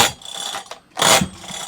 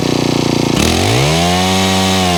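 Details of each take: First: Honda HHH25 4-stroke hedge trimmer, choke on: two quick rasping pull-cord pulls with ratchety whir and no catch; recoil starter slipping from a broken small plastic part underneath; engine also bogs, carburetor suspected. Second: Honda HHH25 4-stroke hedge trimmer after carburettor tuning and a new fuel filter: revs up and drops back twice, with the tone climbing and settling smoothly each time. It now holds and returns to idle cleanly, so the bogging is fixed.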